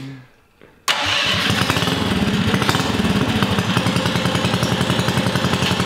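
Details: Freshly built electric-start Tillotson 212 in a mini ATV, with Hot265 cam, billet rod, side exit header, RLV muffler and 22mm Mikuni carb; first start-up fires on the first try and runs with a steady, even putter, no misfires; healthy.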